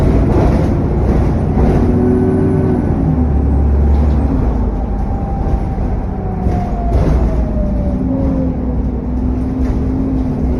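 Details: SN61 DDE E210, driving on a dead run: loud drone with thin turbo whistling tones drifting up and down and cooling fan roar; cause unknown.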